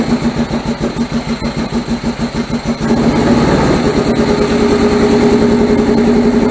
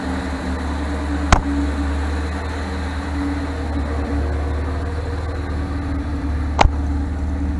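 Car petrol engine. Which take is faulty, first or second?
first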